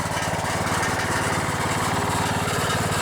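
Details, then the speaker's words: Vintage riding lawn mower single-cylinder engine idling steadily with a light tinny buzz riding on each firing pulse, about three a second; muffler rattling, otherwise sounds pretty good. "The muffler's rattling a little bit. Yeah, that rattle is the muffler. Well, other than that muffler rattling, sounds pretty good."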